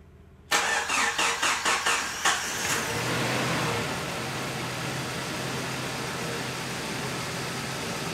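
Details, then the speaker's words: Jeep Cherokee XJ 2.5 liter on cold start after preventative maintenance and a new harmonic balancer; short cranking, then smooth even idle with the earlier clicking/ticking noise gone, much quieter; runs healthy. "Alright you guys, so right off the bat, this 2.5 liter is purring. Sounds much better. There's no more of that clicking, ticking noise. Much quieter, even on the cold start, as you can hear right now."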